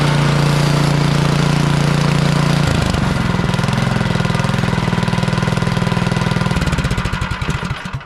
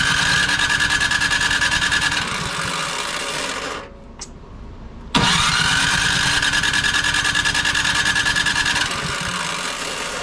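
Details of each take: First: Craftsman snow blower with Powermore single-cylinder engine, after ultrasonic Huayi carburetor clean and rebuild, sat a couple years: chugs steadily on choke without priming on a warm day, settles to a lower even beat, then shut off; normal running. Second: Craftsman snow blower with Powermore engine and Huayi carburetor, sat for a couple of years, primed and cranked: starter spins with a rising whine and steady chugging about three beats a second but never fires; no-start traced to a clogged carburetor.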